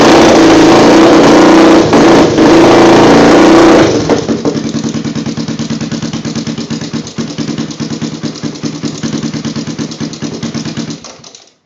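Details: Honda 350X with DG exhaust: single rev, then steady idle with quick regular top-end ticking about three per second, fading at shutdown; owner suspects cam chain tensioner, not confirmed.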